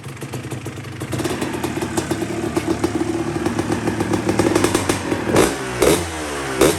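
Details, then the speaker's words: 2005 Kawasaki KX250 two-stroke after rebuild, warm not fully hot, previously would not idle with low compression: crisp rattle rising cleanly through sharp throttle blips, no misfire or clatter; normal, healthy revving. "oh sounds nice and crisp so it didn't idle before when we took out this solvent i had to keep it going low compression"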